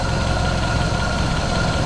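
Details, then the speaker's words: 1932 Ford Model B 5-window coupe, just after exhaust/intake manifold gasket replacement (cracked exhaust manifold), bolts retorqued, engine still warming up on the main jet: steady, even idle, smooth low rumble, no knocks or misses. "so far so good but it's warming up so I haven't had the chance to let it idle down to see if the idle circuit works or if it's got a vacuum leaking it's still on the main pit we shall see"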